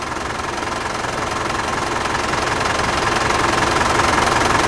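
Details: Steady diesel idle with even clatter, about three and a half beats a second, no misses or stumbles. Engine has been running about a minute after a fluid additive meant to quiet diesel engines was pumped in, with a decibel meter nearby. Healthy idle.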